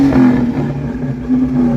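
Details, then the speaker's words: 1982 Ford Mustang GT V8 carbureted project car, throttle blips: rough uneven revving with a sharp pop near the end; backfiring through the carburetor. "Got a little bit of backfiring through the carburetor, but it sounds good, buddy."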